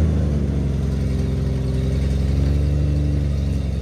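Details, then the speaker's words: 1974 Toyota FJ40 barn find, not run in about five years: revving rough and loud with a raspy puffing rumble that follows the throttle; owner notes a big exhaust leak under the hood. "so yeah no break uh no temperature gauge and some sort of big exhaust leak under the hood but I had a good time"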